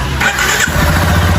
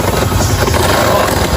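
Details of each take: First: 2022 Lander motorcycle after repairing a terrible engine noise: brief starter whir, then it catches at once and settles into an even, steady idle with no knocking or rattle; normal start and idle. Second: 2022 Lander motorcycle, previously worked on: loud rough running with a heavy, hard knock hammering through it; badly worn crankshaft main bearings with big play.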